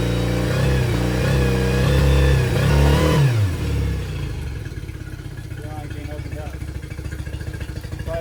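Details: Yamaha T50TLRD 50HP outboard after head decking and new head gasket: steady pulse near four beats a second with stumbling uneven beat; misfire.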